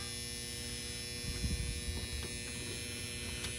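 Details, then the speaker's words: 2018 Goodman 14 SEER 3.5-ton package unit with no heat or air: steady electrical hum with a buzzy edge and nothing starting; the control transformer is buzzing because the common wire is disconnected. "okay so what we hear is the transformer buzzing let's take a look"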